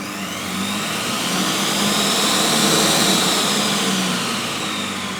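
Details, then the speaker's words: Monsieur Cuisine Smart running empty at speed 10 in adapted cooking mode: loud, steady high whir with a smooth hum and no knocking, which is normal for this processor. "as you can hear, it is quite a loud device itself, especially if you add ingredients to it."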